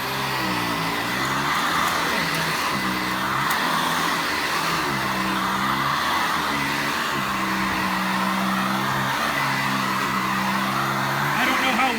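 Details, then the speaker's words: Sanitaire SC684 upright vacuum after service, running on medium pile carpet with height set around 5: steady motor whir and strong air rush, even with no surging or rattles; suction so strong it pulls the carpet off the floor. "Well, the camera can pick that up, but it's actually pulling the carpet off the floor."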